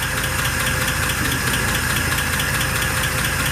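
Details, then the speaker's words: 1948 Pontiac Torpedo six at idle: light, regular ticking about two per second; owners suspect the lifter/valve spring area on that side, not confirmed. "it's on that side yeah yeah i'm almost five it's about more the lifter spring area behind that"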